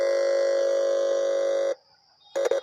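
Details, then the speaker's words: Car stereo amplifier chip, dead/no sound fault: touching the input gives a loud steady hum from the speaker that cuts off cleanly, meaning the amplifier IC is fully working. "जब इस तरह से input परखने को इस तरह से आवाज़ आए आपको समझ लेना चाहिए कि ऐसी पूरी तरह से सही है"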